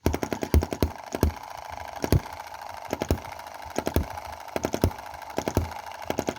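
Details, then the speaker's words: Cheap Chinese M19/EM2 hit-and-miss gasoline model engine running very rich, before valve/cam timing adjustment; lacks power, uneven sharp pops in irregular clusters, skipping fire cycles; misfire. "that's lean just doesn't have a lot of power and you can hear those... kind of - misfires"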